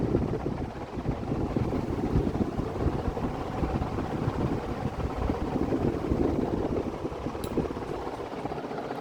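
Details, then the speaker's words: Vintage Dayton 4C721 60-inch industrial ceiling fan (cast-iron motor, aluminium blades) on high: steady whooshing air with an even low rumble, no ticking, grinding or wobble. Bearings judged pretty good; normal high-speed running. "oh yeah it's blowing the victorian blades let's see all the everything blowing around all right"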